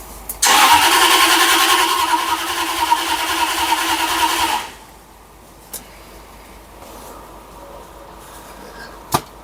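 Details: 2000 Jaguar XKR X100, first start after over a year, following inclination sensor replacement to clear P1260 theft-detected immobilizer lockout: engine catches immediately, settles into smooth even idle for about four seconds, then shuts off cleanly; healthy start.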